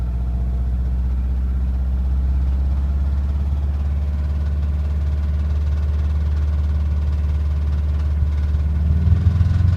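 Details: Subaru Impreza WRX with the EJ205 engine at idle: a steady low idle with a dull, loosely regular knock beneath it, about three or four per second. The engine is knocking.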